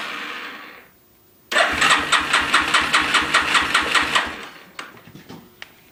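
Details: 350 Warrior ATV that won't start after the starter clutch was replaced: quick, even cranking beats, about two or three a second, for nearly three seconds with no firing; turns over but won't start, cause unknown.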